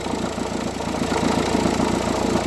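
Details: Renault 1.5 dCi K9K diesel at idle, with a fast rhythmic chatter riding on the engine note and steady with the idle. Worn idler or tensioner pulley, which is then replaced with a new one.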